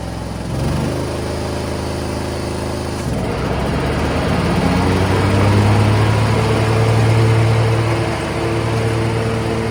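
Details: MTD Gold garden tractor with 54-inch deck, 26 hp Briggs & Stratton V-twin, about 447 hours, repaired wiring, testing drive and deck. It starts quickly and settles into a steady run that picks up as load comes on, with no knocks or misfires. Normal, healthy running.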